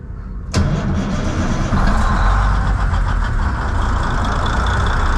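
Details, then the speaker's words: N14 Cummins diesel just fitted with a new ECM, with manifold pressure sensor code 433 still set: a short crank, then it fires at once into a steady, deep idle; it starts far easier than with the old ECM; normal start and idle. "sure starts a lot easier than it did with this new ECM in there that other one I had to crank and crank and crank to get it to start for that other ECM in there"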